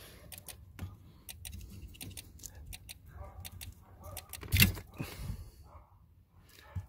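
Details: 2008 Range Rover Sport HSE, under the driver's seat: rapid, sharp relay clicks while seat and mirror adjustments fail. The seat module connector was unplugged overnight to fix it.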